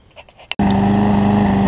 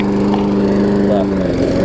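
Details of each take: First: Trade-in lawn mower after carb throttle-linkage adjustment and draining overfilled crankcase oil: a fast, steady, even full-speed drone, running much faster than before, and the smoke has cleared; still needs a typical carburetor diaphragm replacement. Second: Trade-in lawn mower after a throttle-linkage adjustment runs fast, but its pitch wavers and briefly bogs as the throttle is swung back and forth. This stumbling test shows a worn carburetor diaphragm needing replacement.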